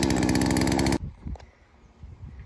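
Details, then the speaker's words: Chainsaw with low compression, after repair, warming up and running rich, high-speed not yet tuned: about a second of crisp, even two-stroke running; muffler sounds good and the saw fires cleanly, sounding healthy. "it's running really rich which is good we want to make sure that we have a lot of oil in that cylinder so make sure she gets hot muffler sounds good and floaty so i think we're looking good"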